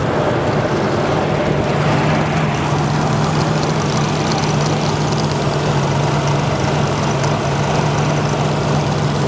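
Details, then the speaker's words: 1999 Nissan Pathfinder running rough at idle, headlights on, microphone beside the EGR valve: steady low idle with a faint loose metallic chatter; broken EGR valve pintle clanking inside the valve. "I'm going to put my microphone right next to the EGR valve. You can hear it clanking around in there. The pintle is broken."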